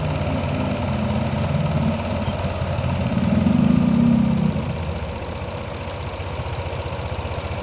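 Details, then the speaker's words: Yamaha NMAX 155 V2 fitted with a manual IC, idle adjusted: revs climb briefly, then drop back and settle into a steady, even, correct idle. "Pagkatapos ko nakuha ang tamang idle ng motor, nag-drain ako ng coolant dito sa makina."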